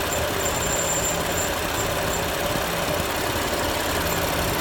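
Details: BMW M4 at a steady idle: a high chirp repeats several times a second, keeping time with the engine; a running squeak, source not pinned down.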